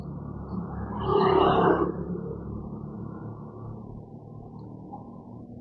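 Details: 2018 Honda Vision 110 scooter with new ACG starter, only 4,368 km, warranty refused as over one year old: high thin squeal rising over quiet engine hum then fading; worn crankshaft bearing, to be replaced with 902 bearing.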